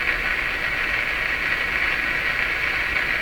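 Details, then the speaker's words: Nordmende Traviata 59 tube radio after replacing two IF capacitors, on the 13 MHz European shortwave band with no stations coming in. A constant hissy buzz is interference from the furnace's DC fan motor while the air conditioner runs. "Now that sound you're hearing, that is the sound of the fan in my furnace. My air conditioner is running right now. It's a DC fan that makes this interference."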